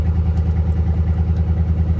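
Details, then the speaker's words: Salvage-auction 2019 Chevy Silverado (airbags blown, many warning lights), idling: deep, loud, unmuffled pulsing burble; exhaust clearly missing upstream, owner suspects the catalytic converter was stolen, possibly a theft recovery. "okay yeah there's exhaust missing for sure sounds like someone stole the catalytic converter off of it"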